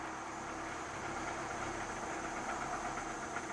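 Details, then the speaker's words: 2009 Toyota Camry four-cylinder, pending cylinder 3 misfire code, starts reluctantly and stalls on throttle: barely running, uneven stumbling firing with muffled, choked exhaust note, attributed to a clogged catalytic converter. "And oh, barely barely running. [Laughter] Okay, man. This poor car. It was really trying to stay running."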